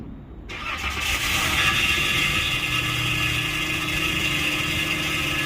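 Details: 2012 Chrysler Grand Caravan 3.6L in for no crank/no start: harsh, gritty whirring with uneven chatter while cranking, no catch; something dragging near starter or flywheel, suspected, not confirmed; it also needs a starter.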